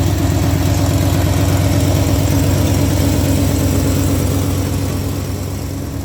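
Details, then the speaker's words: Old Ford F100 after running a new ignition wire under the dash, voltage now steady, before timing set: deep even idle about three beats a second, no misses or stumbles; normal idle. "I'm gonna do nothing and just roll the engine over. Of course, that works great."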